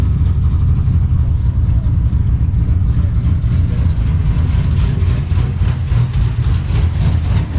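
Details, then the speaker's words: 6.0L LY6 swapped Silverado with BTR cam, warming up after aluminum radiator install: lumpy V8 idle and light revs carry a faint quick puffing tick following engine speed, a light header (exhaust manifold) leak present since the swap; new gasket needed. "Yeah, we hear that light header leak. We got to put a new gasket in there. It's been like that ever since we did the swap."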